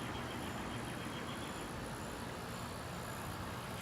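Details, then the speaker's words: Friedrich 12,000 BTU window air conditioner, heard from outside: steady, even rush of fan and compressor with no knocks, rattles or pitch changes; normal running. "this one's a 12 000 btu air conditioner satellite up there well not satellites when it was skylight you could actually see the gt up there actually there it is she's running good"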